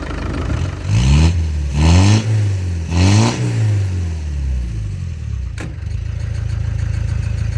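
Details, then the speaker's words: Land Rover Discovery 300Tdi diesel after engine change with new diesel pump, timing belt, alternator and turbo and valve clearances set: three clean rev blips then steady, even idle with no knocking, healthy; slight belt squeal blamed on leaked coolant. "That sounds sweet. It's just how a 300 should be."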